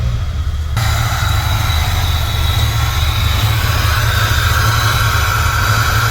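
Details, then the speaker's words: Engine idling and warming up, radiator fan not yet on: a light metallic ticking over a low rumble, suspected to be a loud, rattling turbo wastegate, not confirmed. "Wastegate's really loud. Fan hasn't kicked on yet. It's starting to get warm."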